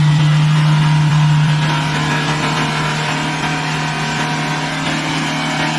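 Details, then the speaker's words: Engine overrun: held at a steady screaming high rev with constant drone, not shutting off with the key turned off; runaway engine. "เ่เลยไม่พี่หนูบิดแล้วแต่มันไม่ดับอ่ะพี่มันไม่ดับ"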